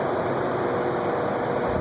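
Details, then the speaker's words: Antique Westinghouse Gyro ceiling fan running: steady raspy whirr with dry hiss over the hum; restorer says it needs the cylinder pulled down and oiled because the bearing is dry. "Yeah, that one I've got to get in there, pull it down, pull the whole cylinder out, and get some oil from there."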